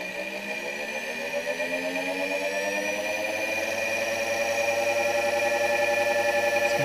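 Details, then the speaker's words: Solectria electric motor and drive in gear, with the encoder board being adjusted by ear without an oscilloscope: a smooth electric whir whose steady tones climb as the motor spins up under throttle. If misaligned, it stops and the drive shows an error. "down the throttle and i'm gonna adjust it to where it sounds the best"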